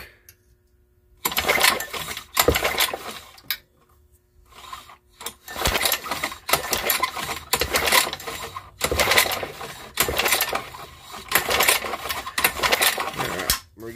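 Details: Old lawnmower engine, good blue spark confirmed at the plug; repeated quick rattling pull-cord bursts about a second long with no firing — cranks but won't start.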